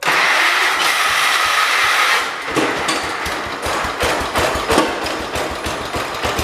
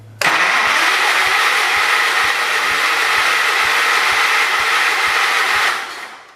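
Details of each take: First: Engine of a John Deere 212 donor tractor: after cranking it catches and settles into a steady, regular putter with clean even beats; sounds like a good, healthy motor. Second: John Deere 212 donor tractor, old fuel: steady cranking about three and a half turns a second, never firing. No spark at the test plug; owner suspects the coil, then finds a loose spark wire.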